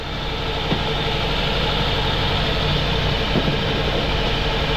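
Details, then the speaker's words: 2002 Toyota Altis with new spark plugs, battery jumped: uneven, shaky idle with heavy vibration and intermittent stumble like a cylinder dropping out; suspected misfire, coil and intake manifold vacuum leak being checked, injector leak noticed, also overheating. "dapat matining po ang andar niyan kaso sobrang palag niya mga sir yumayanig yan sobrang vibration"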